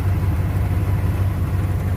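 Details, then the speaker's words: 1992 Ford Bronco, sat for months, plugs changed (gaps/type doubted): loud, deep idle with chuffing, puffing throb; exhaust leaking from a small hole, muffler barely connected past the cat, running rich. "Exhaust's got a little hole in it up there, huh?"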